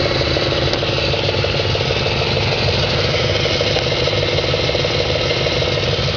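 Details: 2004 Audi S4 4.2L V8 at idle, gauge showing over 100 psi at idle: a steady, fairly regular tapping knock, roughly three per second; engine knock whose cause is not confirmed.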